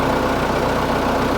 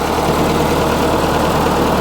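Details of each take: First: Case 1845 skid steer diesel, first start after reinstalling the hydraulic pumps: even idle with a steady low throb and no whine from the hydraulics; pump sounds healthy, though the axles still creep so neutral needs adjusting. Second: Case 1845 skid steer diesel after a hydraulic pump reinstall, throttle at full. A flat, unchanging drone with no rise in speed. It revved fully at first start but not now; the owner wonders if the filters are plugged. Engine won't rev up, lacks power.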